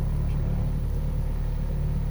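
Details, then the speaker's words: Honda Civic with failed top engine mount, idling in reverse, worse when cold: deep, steady low rumble with heavy vibration and no knock or whine, noisier than another car; fixed by replacing the top engine mount. "you hear that rumbling noise and that is the engine mount failed"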